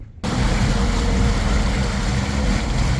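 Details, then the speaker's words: Suzuki DF40A outboard on the water, thermostat removed, cooling stream ice cold: low uneven drone with an irregular stumble; owner suspects fuel-related leaning out, cause unconfirmed; engine misfire. "Oh, it's got like a weird miss. So, I'm thinking maybe it's fuel related. Maybe leaning out."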